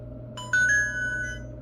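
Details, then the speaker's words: Satella Power US23/ULTRA smart lock, after keypad code entry: a short bright electronic chime, rising then holding, with a spoken "battery, please replace" warning; the low-battery alert, given well before the batteries die. "Now you can hear anytime the battery is low, it will alert you a good while before it completely dies on you."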